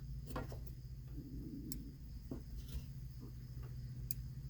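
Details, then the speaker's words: Pontiac G6 Convertible top latch: a few sharp clicks over a low steady hum as the latch arm turns, top latch limit switch clicking normally while tracing a top-not-secure error. "the limit switch so now okay so I know this one working if you take it a little farther you can hear that one clicking"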